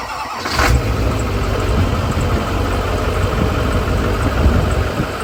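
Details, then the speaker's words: Duramax diesel pickup after replacing injectors (about half failed testing; old ones rattled badly): short crank, then even, steady idle with a lumpy low rumble and no obvious misfire. "that sounds a million times right before I changed these out the injectors were rattling so bad this sounds so"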